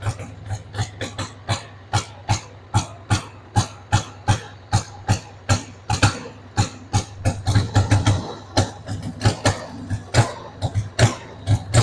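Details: 1993 Harley-Davidson Sportster 883 Evo V-twin, stored about 15 years, just started on starting fluid with a dead battery: uneven loping thumps about three a second, stumbling and rough at idle. The owner says the carb needs cleaning.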